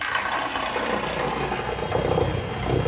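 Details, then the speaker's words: Haswing Protruar G 3.0 electric outboard tested in a pool: loud churning, frothy water rush with a rough crackle as it pulls hard. The propeller is cavitating. "pulling, you hear it cavitating, it's pulling so much."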